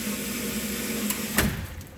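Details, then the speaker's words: Water pressure fluctuation: steady low buzz, then two sharp bangs in the pipework as a fast-closing valve snaps shut, causing water hammer; relief valve spits water. Fix proposed: expansion tank plus soft-seated check valve. "this is the relief valve that's gonna dump or spit when that water hammer occurs"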